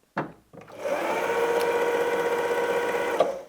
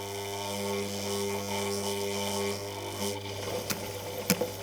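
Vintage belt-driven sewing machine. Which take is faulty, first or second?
second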